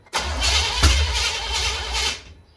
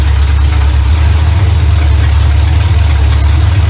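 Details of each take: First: 1970 Chevrolet Impala, first start attempt in 4 years, carburetor just fitted, throttle-primed, distributor only static-timed: cranks about two seconds with uneven catches, fires briefly, then dies. Smells of old fuel; cause not confirmed. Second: 1970 Chevy Impala V8, first run in 4 years right after fitting a new carburetor, ignition advance not yet capped: deep steady idle, even low rumble, no misses or knocks; runs much better than old carburetor, normal idle.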